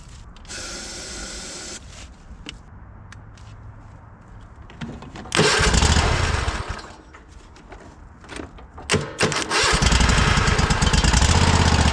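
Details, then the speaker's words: Cub Cadet Super LT 1550 lawn tractor at recovery, jump-started: cranking catches into brief bursts of running fed only by ether or carb spray, then dies back to cranking; fuel not getting through. "This is crazy. We're just We're just feeding it ether."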